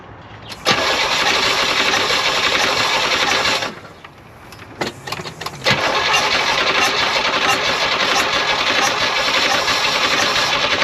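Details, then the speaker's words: 1972 Oldsmobile 98 cranks but won't start after the distributor was moved and timing thrown way off, possibly 180° out. Starter spins about four turns a second with no firing at all; cause not confirmed. "yep now we are getting nothing not a pot not a bang absolute zero"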